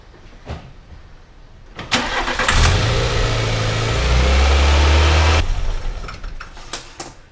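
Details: VW Citi Golf 1.4i, 127,000 km, after battery disconnect reset: cranks and catches, holds steady raised drone with no drop to normal idle; high idle, dirty MAP sensor suspected.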